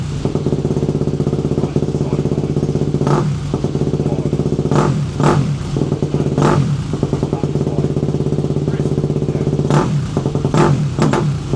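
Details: KTM two-stroke enduro bike, previously unstarted for about a year, after carb cleaning, air filter sorting and throttle cable adjustment. A steady, even idle burble with crisp, regular firing and a few stray clunks; engine runs cleanly.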